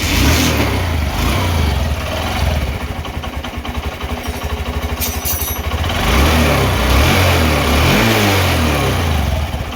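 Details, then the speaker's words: Honda Shine BS6 single-cylinder motorcycle after repair (timing chain replaced, tensioner working, rockers adjusted, cleaned): steady idle, blipped up and back down, smooth beat with no chain rattle or tapping; now sounds like factory new. "गाड़ी का sound एकदम मस्त हो गया है, एकदम जैसे company से आता है ना वैसा साउंड आ गया है।"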